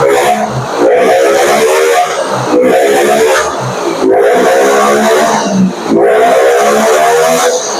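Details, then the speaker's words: Yamaha Nmax after repair: repeated throttle blips with a smooth rising tone and no stutter or cutting out. Earlier it hesitated from low to mid rpm, lacked power and died under throttle; the cause was a dirty, clogged injector. "kalau untuk digas sih teman-teman udah enak ya tidak berebet lagi ya kita akan coba gas ya"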